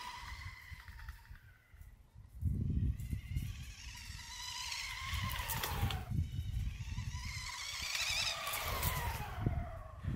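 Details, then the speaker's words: Home-built electric bike version 4 with brushless motor and new pulley belt drive on a test ride: motor whine climbs with each gradually increased throttle input over tyre and road noise, no slipping or clatter; pulley holding up after earlier failure. "I then slowly increase the throttle inputs each time to see how the pulley handled and it seemed to hold up pretty well"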